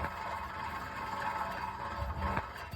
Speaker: you hear that noise at 60 plus hour this is really loud and ambient I can hear it inside the car bad hub assembly the bearings inside have worn out